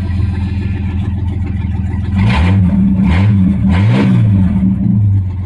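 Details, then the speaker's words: 1989 Jeep Cherokee 4.0L I6 Renix, started after new crankshaft position, temperature and knock sensors and before the MAP sensor swap: steady idle, possibly a little lower, with clean blips and no knock or stumble; normal idle. "do you know I don't notice a difference do you actually it sounds like an Idol's a little lower"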